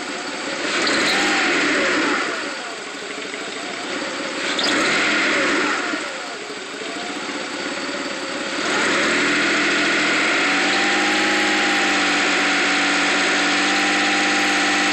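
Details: '95 GT petrol engine: on throttle it stumbles and bogs for a second, then revs up with an uneven, misfire-like note; it also idles rough and accelerates slowly, cause unknown.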